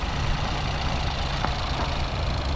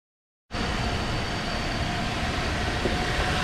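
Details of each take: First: 2018 Ford EcoSport 1.0L EcoBoost at an auction yard, said to need engine work. Loud, uneven low idle with a lumpy beat and a faint knock underneath. Rough-running engine, cause not stated. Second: Crash-damaged Mercedes-Benz C200 engine: catches and settles into a smooth, even run with no knocking, ticking or misses; engine sounds good.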